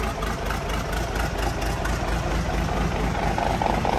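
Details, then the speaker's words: Military 6x6 truck on a high-amp 24-volt system, first start after sitting about 10 years, fired right up after a little ether; even diesel clatter at idle with a steady beat, rising slightly toward the end, no misfire or knock. "i gave her a little bit of ether he fired right up"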